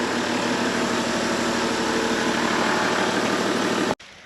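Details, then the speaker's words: 2006 Toyota Land Cruiser 100 series GXL, auto, after overheating, found with no oil in the engine: steady, even idle for about four seconds without knocks or misfires, then switched off cleanly; sounds healthy. "oh this engine had no oil in it oh well it starts it runs I'm happy"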